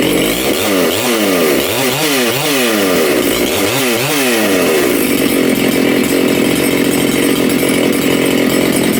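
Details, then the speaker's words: Makita/Dolmar 7900 85cc 54mm big-bore chainsaw, carb limiters removed, needles set from one turn: quick rev blips then held flat out with rough burble; low-speed jet ran a little lean and nearly died, so given more fuel. "just a bit of tuning hopefully you heard that I just it was a little bit lean on the low jet so I I tighten the loaded up a bit more and it nearly died so I gave it more fuel"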